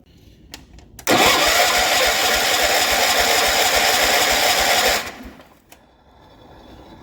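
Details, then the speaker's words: Barn-find 1973 John Deere 140 H3 tractor, sat about 20 years, engine previously seized: steady fast cranking about 3.5 turns a second for four seconds, no firing, expelling mouse-nest debris; dipstick popping out from pressure. "I don't like the dipstick popping out when I do that. But nothing got in it, so we're good. Yep, lots more came out."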